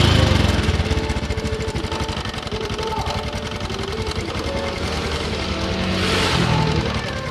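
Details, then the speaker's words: Honda Supra X 125 with rough noise from the engine block/head area; cam chain tensioner bolt loosened and adjusted but noise remains: fast regular metallic clatter over idle rising with throttle, loose worn cam chain needing replacement. "Ini kayak suara kamrat teman-teman ya. Ini udah saya putar. tapi suaranya masih ada, masih bunyi."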